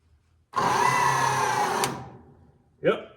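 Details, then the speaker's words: Bucket truck hydraulic pump motor fed directly by jumper cables, bypassing the solenoid, before rewiring: steady electric hum with high whirr about 1.5 s then winds down. Normal hydraulic pump motor run. "so we just want to make sure the motor works we know the motor works"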